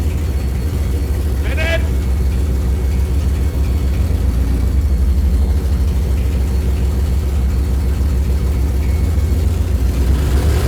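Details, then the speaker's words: Aston Martin V12-swapped Fox Body Mustang, now running on all 12 cylinders after a computer fix: deep, even V12 rumble holding steady with smooth revs and no misses or knocks, sounding far better than before; normal running. "Yeah, this thing is working, dude. Sounds different. That sounds way better."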